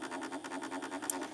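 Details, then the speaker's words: 1970s Sony TC-238 8-track recorder, first run with a new flat drive belt: dry, scratchy rasp pulsing about seven times a second over a faint steady hum; noisy motor/flywheel bearings needing service. "Got some noisy bearings. Okay, we got some work to do."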